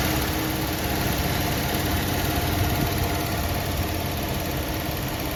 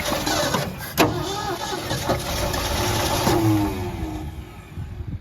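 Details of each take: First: 1973 Ford F100 302 Windsor V8, 3-speed column manual, parked 16 years, carburetor worked on, first start, slightly smoky: even steady idle with constant low rumble, no knock or stumble; runs like a sewing machine, smoke expected to clear as rings seat. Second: 1973 Ford F100, 302 Windsor V8, 3-speed manual, parked 16 years, carburetor bowl filled with 87 octane plus Marvel Mystery Oil: uneven cranking churn with a couple of sharp catches as it almost fires, then dies without running.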